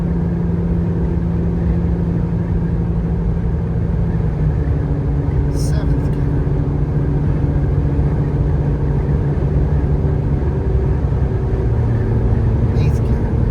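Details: Jeep Gladiator 3.6L V6 climbing a long highway grade in 5th gear at 65 mph. Steady, deep, even tone with no rattles or blows: normal exhaust note.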